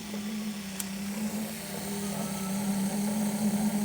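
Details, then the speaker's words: 1975 Mercedes 280SL (R107), D-Jetronic, low-pressure Bosch fuel pump tested on the bench pumping uphill: steady low electric hum with faint whir, pump works normally off the car but not when fitted. "That's still working."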